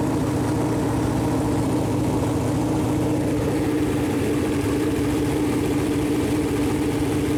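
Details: Freshly built Chevy Performance 454 big-block V8 on a run-in stand, first start, temp around 190, good oil pressure: steady even idle, constant drone, no ticks, knocks or misses; normal idle.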